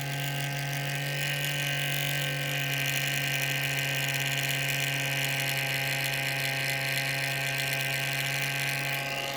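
Constant whirring with a low steady drone and airy hiss that never changes pitch; could be a worn fan bearing, unconfirmed.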